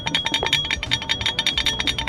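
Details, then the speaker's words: Audi S3 being prepared for track, front brakes during installation: quick light metallic clinks as loose brake pads knock back and forth in the caliper without retaining clips, causing inconsistent, premature pad wear; retaining clips to be fitted. "So, when you don't have retaining clips and you put your brake pads in here, it's going to go like this."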